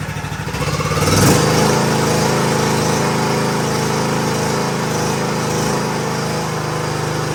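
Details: John Deere D110 lawn tractor after oil change and deck setup, gas primed into carburetor: short crank catches at once, then an even, steady putter around four beats a second with no misses or knocks: normal start and idle.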